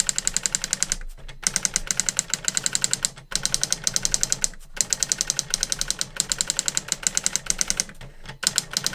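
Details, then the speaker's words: New-in-box 1985 Epson DX-10 printer printing a Windows 2000 generic text-only test page via the printer port: rapid crisp clacking in fast even bursts with short pauses between lines; printed perfectly, normal printing. "oh that is actually pretty cool that worked perfectly"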